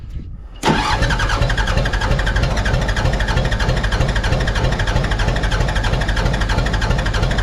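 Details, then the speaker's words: Mitsubishi BD2F dozer diesel, unrun for years, cranked while bleeding injector lines; uneven steady chugging about three beats a second, never catches; air in injectors, cranking without starting. "anyway going turn this over until we see fuel coming out of each one and as we get fuel to each one no air will will shut them off"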